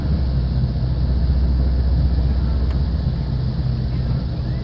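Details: Toyota Tundra V8 after clearing a secondary air pump fault that caused limp mode with VSC and check engine lights: warning lights now off, steady, even low rumble at idle with no misses, knocks or ticks; healthy idle before warm-up.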